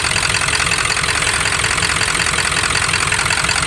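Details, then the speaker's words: OBS Ford F-250 Powerstroke diesel, 300,000 miles, straight-piped, untuned, after lift pump replacement. A loud, clattery, slightly uneven idle. Rough idle; owner suspects air still in the fuel system and considers a compression test. "i might not have all the air out of it or i don't know but it runs uh it just runs a little rough at idle"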